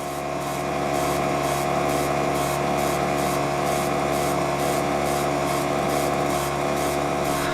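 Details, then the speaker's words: Allotment water pump with a constant motor hum and rapid hissing pulse about four times a second; the joint seals failed so it sucked in air instead of drawing water. "Well, it looks like the seals failed on the joints down there. So it wasn't pulling water because it was sucking in air."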